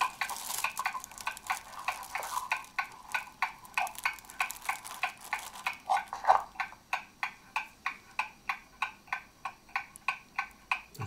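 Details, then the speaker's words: German mantle clock movement after a service, heard through a beat amplifier: crisp, even ticks at about 95 per minute with steady spacing. The clock is healthy and running in beat. "the movement is running properly now and it's in beat as you can hear"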